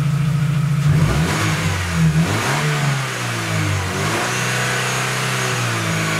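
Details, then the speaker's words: Chevrolet Aveo, mic about 50 cm from muffler, catalytic converter replaced by a spacer pipe: deep, throaty idle swells with quick revs and drops back, louder, rawer exhaust note. "Итак звук после удаления катализатора"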